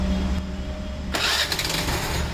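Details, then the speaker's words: Hero/Honda scooter after repairing a bent crankshaft that caused noise on self-start: starter spins and the engine picks up smoothly into an even idle with no knocking or grinding, a normal start. "यह देखा आपने कि गाड़ी बिल्कुल आवाज नहीं कर रही"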